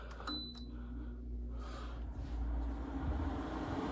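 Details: Midea 5000 BTU window air conditioner MAW05R1WWT, newly installed, plugged alone into the outlet: a few short beeps, then fan and compressor hum rise and settle into a smooth, even run; normal.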